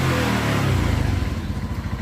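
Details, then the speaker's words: Honda Zoomer X scooter after replacing the faulty, clogged fuel injector with a new one: revs come up cleanly and drop back to an even, regular firing beat with no stumble; normal revving, injector fault fixed. "อ่าเราเปลี่ยนหัวฉีดเข้าไปใหม่แล้วนะครับอ่าลองหัวฉีดดูแล้วนะครับรู้สึกว่าดีนะครับ"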